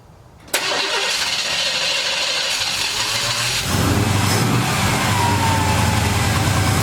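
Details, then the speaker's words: Carbureted V8 after swapping the Holley power valve (an earlier wrong valve flooded the engine); it fires first try, then holds a steady fast idle that steps up further. Normally about 900 rpm, now about 1200–1300, cause unsure. "Seems like the idle is up a little high now. It's normally about 900, now it's about 12 or 1300"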